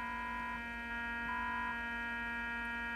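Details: Fluke 6060B RF signal generator under repair: a steady mid-pitched modulation tone cuts in and out over a constant low buzz heard through a receiver; owner suspects the buzz comes from the power supply.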